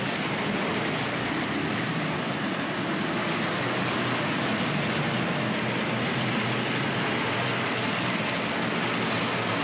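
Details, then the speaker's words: Tri-ang RS.2 set, R.258 Princess Royal loco with dirty wheels on Series 3 track, power turned up: steady, even rolling rumble with a soft rail hiss and no stutters or dropouts, running smoothly, an improvement. "yeah that's an improvement isn't it i'm not sure how well you can hear me while she's running but we'll stick with it"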